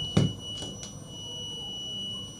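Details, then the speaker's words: Multimeter continuity test across two points on the same breadboard row used with an Arduino Uno: a click, then a thin, steady high-pitched beep confirming the points are connected. "so you can hear the sound of the meter you can see it so that is it so that is the sound so the continuity sound you can hear the sound of the meter"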